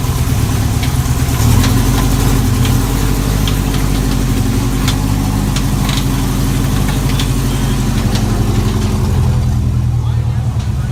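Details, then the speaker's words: Chevy 350 V8 race car: sharp metallic bangs at uneven intervals, roughly once a second, over the rumble, worsening from faint at first. Suspected bullet or foreign object in a combustion chamber hitting the head; the engine likely has to come apart. "That noise in there is just not good, and it was faint in the beginning, and it's getting worse and worse. Dude, there's a bullet or something in your combustion chamber and it's slamming against the head."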